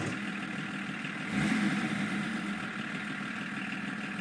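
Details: BMW 325 TDS diesel idling with an uneven clatter of roughly four per second and a brief rise in level; abnormal engine noise at idle, cause unclear.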